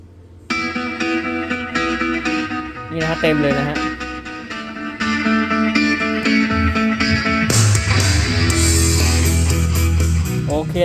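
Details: Marshall Emberton speaker that cut out with a pop at full volume, after repair and charge test (steady 1.5 A); music plays loud and full with no crackle, dropouts or cutting out, working normally.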